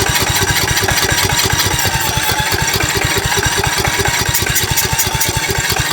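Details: 2006 Cub Cadet LT1045 riding mower with high-idle problem, after moving a linkage to a different hole/bending a tab: quick but uneven single-cylinder idle around two and a half pulses a second, still not right; carburetor then leaked fuel.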